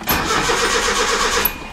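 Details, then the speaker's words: Original 1980 Datsun 200SX, 5-speed manual, 113,272 miles, sat about 5 years: starter cranks the engine at a steady even rhythm but it never catches; no fuel delivery. "We're not getting any fuel."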